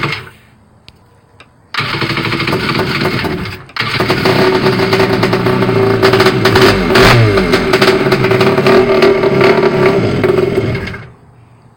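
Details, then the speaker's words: Rebuilt jet ski engine, first start after carbs cleaned and longer correct spark plugs fitted; crank bearings noted slightly worn: fires after a pause and runs very loud, raspy and even with a brief rev; normal running. "that's so loud I can tell you right now guys this ain't no cat or dog this thing sounds like it's about ready to jump off the trailer"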